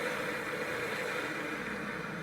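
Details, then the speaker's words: Gaggia Accademia espresso machine after a full service, flushing the milk steamer with steam after a cappuccino test with milk cleaner: steady mid-pitched rushing hiss at an even level. Normal steam flush of the milk system. "You can hear the pump pulsing. Now it's cleaning the milk steamer"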